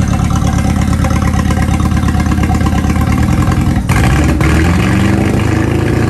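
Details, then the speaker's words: 1996 Ford Escort, stock tired engine before a Honda K24 AWD swap: loud, lumpy idle with uneven low thumping and ragged beat, sounding like an old tractor; rough-running engine, cause not evident. "all right guys so we got it pulled in this thing is hilarious it sounds like a trap tractor is so loud and it runs so rough sounds like an old tractor"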